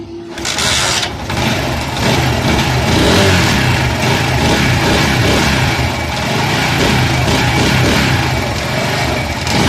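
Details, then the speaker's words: Motorcycle that made a bad engine noise, restarted after the four head nuts were tightened: settles into a steady, even beat with a couple of blips, no ticking, popping or smoke; normal running after repair. "तो दोस्तों देखिए यह दुआ भी मारना बंद कर दिया है कि अब यह भूमि नहीं मार रहा और यह मोटरसाइकिल आवाज भी नहीं कर रहा है"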